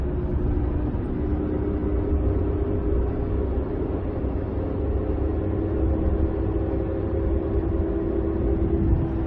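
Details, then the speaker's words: Ford truck driving from about 20 to 30 mph upward: steady droning hum rising with speed, fading but remaining when lifting off throttle, from a failed, pitted differential carrier bearing. "if you let off it kind of goes away but it's still there that's how you know it's a bearing noise not just a gear noise"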